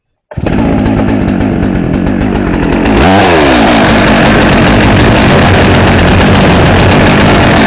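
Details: Brand-new Holzfforma G888 chainsaw, just assembled out of the box and not yet run in: fires, then revs with a thick, slightly burbling, uneven note instead of a crisp scream; carburetor deliberately left rich, to be leaned out later.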